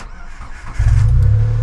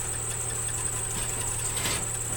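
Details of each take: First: Nissan Micra K13 with supercharger, after new auxiliary belt: engine catches cleanly and settles to an even low idle, no belt squeal, some supercharger noise; normal start. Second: Nissan Micra K13 off-road build, parked over a year, before service: a steady high-pitched squeal rides over an even idle without changing, the worn auxiliary belt slipping on its pulleys; belt being replaced.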